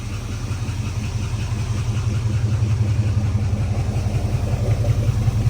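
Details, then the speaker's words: 1970 Dodge Charger V8, 4-speed conversion, after first startup and a drive: deep loping idle with no ticking, slightly rich, no misfires, lifter tap pretty much gone once oil pressure came up; runs good. "Sounds good though, no misfires. A little rich. Probably blame that on the clicky clacky. Yes, sir. Tap's pretty much gone now. Just needed some oil pressure."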